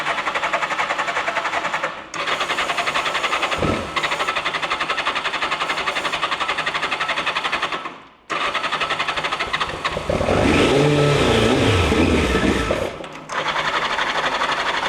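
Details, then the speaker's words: Turbo Yamaha motorcycle stored about 40 years, first start after fixing a leak: engine fires and stumbles, dropping out twice, then revs raggedly before faltering. Probably lots of oil in the exhaust pipes, making it smoke; rough running after long storage. "I I don't know. We got a lot of oil, I think, in the bottom of these uh pipes. Let's see if it goes We lost it. Well, they ran for a little bit, enough to smoke."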